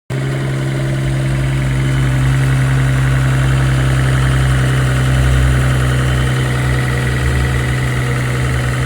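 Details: Mercedes-AMG GT43 petrol engine at idle, fast light ticking over a low hum, misdiagnosed as timing chain noise; actual cause a faulty EVAP purge valve, noise normal after purge valve replacement.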